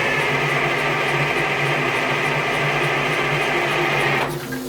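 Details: Old Detroit-powered dragline that had not moved in 13 years, given a little ether: steady droning crank with constant whine, engine turning over but not catching, then winding down; cranks but will not start, cause unconfirmed.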